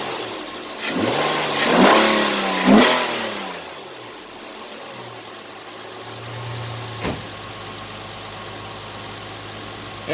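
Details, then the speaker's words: 2010 Nissan Maxima 3.5 V6 after replacing the bad ignition coil behind a cylinder 5 misfire, codes cleared: a few clean rev blips settling back to a smooth, steady idle with no stumble or miss; fixed. "let's go check out the exhaust running pretty smooth no misfires no putting no smoke so she's fixed [Music]"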